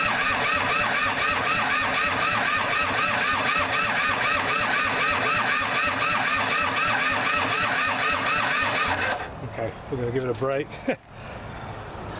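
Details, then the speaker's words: Kubota L2500 diesel tractor, revived after sitting, injectors bled, weak battery, glow plugs not used: steady starter cranking about four compressions a second for nine seconds, never catching; cranks but won't start, owner suspects glow plugs, cause unconfirmed. "I didn't uh hit the glow plugs or anything I might even fire if I hit the glow plugs"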